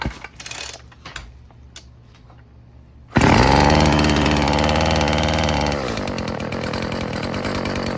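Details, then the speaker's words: Old Stihl FS36 two-stroke string trimmer just after the low-speed carb screw was turned in (about 2¾ turns out) and reset to 1.5 turns out: catches, revs briefly, then settles into a steady, even idle. Runs better, confirming the suspicion. "It's idling. So I was right."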